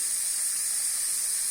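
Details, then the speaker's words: Village water hose bitten by wild boars, burst again at a joint: steady, sharp high hiss with no rumble or pulsing, water spraying out under pressure; pressurised water leak. "Büyük ihtimal oradan gene patladı ses geliyor Oh bayağı bir ses geliyor"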